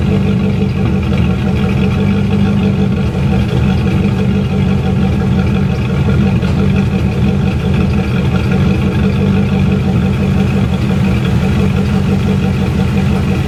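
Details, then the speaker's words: C4 Corvette V8 after head gasket work, idling smooth and steady with a deep, even burble and no pops or skips. The earlier popping came from one valve set too tight on the passenger side. It now has a 2.5-inch front Y-pipe with front cats deleted and Cherry Bomb mini glass packs. "It happened to be one of the valves was too tight on the passenger side. Man, was that a bear. Now she idles smooth."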